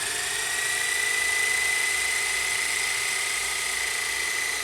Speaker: Fast forward. See if it goes into super fast forward mode. Not really. There it goes.